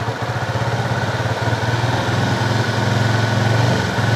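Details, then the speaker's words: Honda CB fuel-injected motorcycle, still unfixed after five services: idles low, then revs rise and fall unevenly with stumbles as the throttle is slowly eased up; surging misfire under light throttle. "apa kalau digas di RPM ini tadi maka dia naik turun kan itu toh ini penyakitnya"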